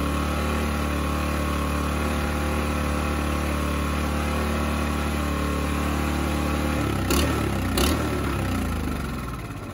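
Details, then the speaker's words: Toro 518 ZE snowblower, single-cylinder engine idling with the auger drive belt disengaged after oil refill, checking the auger does not spin at idle; steady even low beat, a couple of brief knocks near the end, then winds down; normal idle. "i'm going to turn it on and we'll see if it'll idle without the auger spinning"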